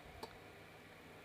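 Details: DIY speaker-protection delay relay circuit (TIP41/TIP31 transistor, two 10k resistors, 47µF 50V capacitor) built to stop speaker thump: one short crisp click in a quiet room as power is switched off, relay releasing cleanly, normal.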